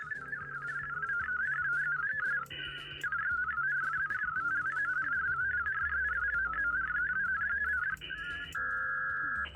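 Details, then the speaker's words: HF reception during a WinLink session with the Victron Smart Shunt out of the circuit, in an off-grid camper: clear warbling data tones over a quiet background with no buzz or hash, clean reception. "This is what HF should sound like during a WinLink session when the Victron is out of the"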